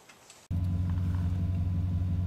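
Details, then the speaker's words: 1997-2004 10th-gen Ford F150 V8 with Volant cold air intake, after replacing the vibrating idle air control valve: engine catches and settles into a low, steady quiet idle with no resonance through the intake; normal quiet idle. "So the truth is in the pudding, and I started the vehicle up and it is absolutely quiet, quieter than before. No resonance being amplified through the air intake system. Definitely controlling the idle."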